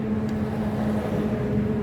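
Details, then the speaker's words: Brush cutter starts but blade won't turn: steady low engine drone with rattling, no drive load; shaft stripped in a worn clutch drum after cutting large wood; drum and shaft need replacing. "ที่เกิดก็คือว่าติดเครื่องได้แต่ใบไม่หมุนเสียงดังแก๊สๆๆๆๆๆนะครับดังแก๊ดแดๆๆดนะครับตัวนี้เสียนะครับ"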